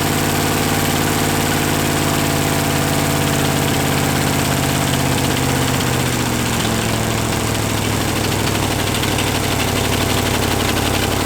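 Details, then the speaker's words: 283 small-block Chevy running experimentally on only one cylinder head: loud, lopsided, hunting rough idle with a buzzy edge; a vacuum leak is suspected, air pulling in somewhere and needing silicone. "I've got a vacuum leak. There we go. It's running though. Yeah, it must be pulling through here somewhere."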